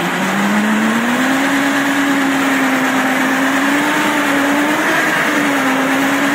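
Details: Samurai rotary mower, 1.40 m cut, hydraulics removed, run in third speed with high rotor rpm: loud steady hum, rising slightly to speed; the chain drive sounds scary but is normal and nothing to fear.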